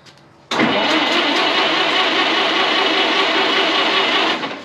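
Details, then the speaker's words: 1927 White dump truck, sitting 20 years, cranked on the starter: steady cranking for about four seconds but it never fires. They suspect a fuel supply problem at the carburetor and plan to crack the fuel line to check for fuel; no start. "you might have to look at the new situation in the carburetor what do you think let's crack that lime see if it's got fuel"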